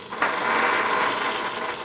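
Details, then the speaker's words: Servos of a HobbyKing Skipper XL plane on a Naze flight controller with D gain set to 23: sharp, rapid, harsh buzzing chatter for over a second when the board is moved slightly; excessive D gain makes them oscillate. "like crazy and it's not supposed to do that so look at I'm not even touching you just a vibration out of the desk there"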